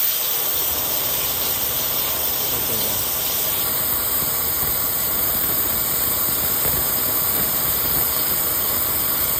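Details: Acura with engine running during leak test before recharge: steady sharp hiss over a low engine hum; refrigerant escaping from a cracked AC high-pressure hose, to be replaced.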